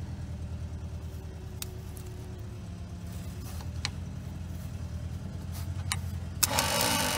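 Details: Abandoned Aussie Mopar VG that has not run since 1997, being cranked. Even, rhythmic churning about three or four beats a second; the starter turns the engine over cleanly.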